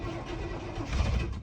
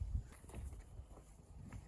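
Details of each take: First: 1989 GMC Suburban V1500 4x4, sat on a ranch since 2006, first start attempt with gauges dead: brief rough cranking fires weakly on sprayed starting fluid, with no fuel pump hum. No-start from fuel delivery failure; runs only on starting fluid. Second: 1989 GMC Suburban V1500 4x4, sat on a ranch since 2006; an injector may still be leaking. Near silence, then the engine catches just before six seconds into a strong, steady run with no knocks, moving under its own power. Normal running.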